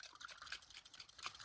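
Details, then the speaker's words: Brand new Holley carburetor float, front and rear both defective, being shaken. Faint liquid splashing and dripping because the float is full of gas. It flooded fuel out of the vents when starting the car, and float adjustment didn't help. "Uh in this case, this is a brand new Holly carburetor. Just flooded gas everywhere. And the float is completely full of gas."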